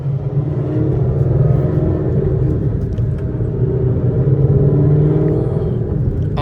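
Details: Whipple supercharged S550 Mustang driving through the gears: steady deep engine rumble pulling evenly under load, no whine, grind or clunk from the gearbox; it sounds healthy.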